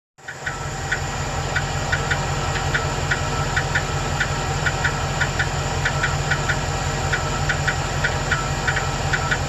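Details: 2008 Chevrolet Express 2500 4.8L V8 at idle: light, sharp ticking about three per second that goes away when RPM is raised; owner suspected a collapsed lifter on #8 but is now unsure, cause unconfirmed.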